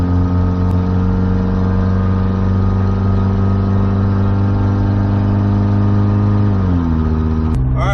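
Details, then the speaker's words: Freshly reassembled 1994 Nissan Hardbody mini truck engine, run out of oil then torn down and repaired without full rebuild, cruising at highway speed: steady even drone, no knock or tick, revs ease off at end; healthy. "Miles into the trip, we've hit highway speed, everything's good. I don't hear any strange noises, knocking, ticking, or anything. So I'm gonna consider it a win."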